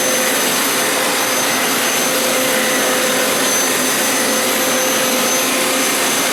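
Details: Hoover Elite Power Scrub carpet cleaner used as vacuum to suck up cleaning solution residue after deep clean wash cycle: even, high airy roar with steady motor whine; suction motor healthy and running normally.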